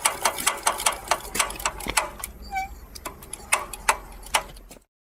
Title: Piaggio Ciao clicking noise from rear wheel